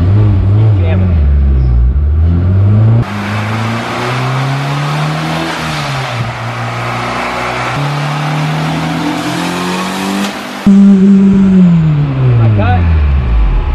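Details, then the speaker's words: Turbo car on the dyno, pulling hard. Then a sudden pop and a drop in pitch and pull as the boost pipe to the intercooler blows off. "that sounded like a pipe came off up here thank you yeah it sounded like a pipe came off"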